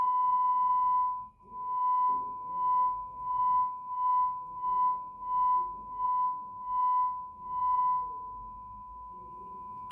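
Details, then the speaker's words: Markbass Little Mark Tube 800 bass amp (no-sound complaint, protection mode) after cleaning the crackling pot, tested with a tone through the speaker. A pure steady tone swells and dips as the pot turns, with no scratching or crackle: the noise is gone. "so we can hear there's a clear sound coming out of the speaker even though when I'm turning the pot that cly noise is gone"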